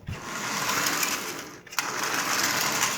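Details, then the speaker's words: Marx 400 toy train locomotive sitting for decades, first run after unboxing: fast dry raspy whirring at steady rate with a rattly edge; motor running on dry, unlubricated bearings. "definitely worth the 9 bucks the parts in it alone are worth more than that and you can hear how dry it is"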